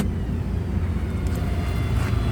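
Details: 2017 Ford F550 4WD bucket truck, 6.8L gas: steady low idle rumble with no whine after popping the brake disengages the PTO; Thermo King running in background; engine idles evenly, normal.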